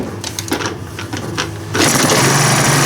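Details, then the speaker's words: TS400 small two-stroke after new clutch install, primed and choked: a few pull-cord tugs and rattles, then catches and buzzes steadily at high speed; starts and runs normally. "we give her some choke and uh she should hopefully fire up here"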